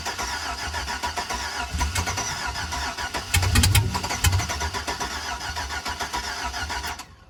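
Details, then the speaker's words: 2005 Chevrolet Suburban with LS engine, donor vehicle, after fuel was added: uneven cranking with a few half-catches that die away, and it won't fire on its own. Crank, no start; a fuel issue is suspected but not confirmed. "it's got to be a fuel issue"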